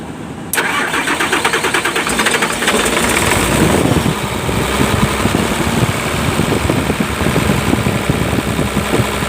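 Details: Hino Lohan diesel truck that stalled when braking and needed throttle to start, after injection pump (bospom) adjustment; cranks briefly, catches at once, steady even clatter, no hunting; healthy start and idle.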